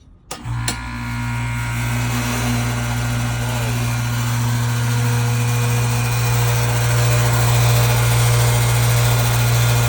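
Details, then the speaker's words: About 20-year-old rusted builder-grade AC condenser, outdoor unit at startup before replacement with a new Trane 5TTR5: steady, heavy low hum and constant drone, extremely noisy; excessively loud condenser. "All right, as you can see, this one is extremely noisy here."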